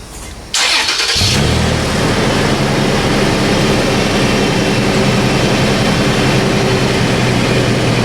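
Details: Toyota FJ Cruiser, about 15 years old, on lift with rusted original exhaust before MagnaFlow cat-back install: starter cranks briefly, engine settles into steady even exhaust rumble, no knocks, rattles or leaks; normal start-up and idle.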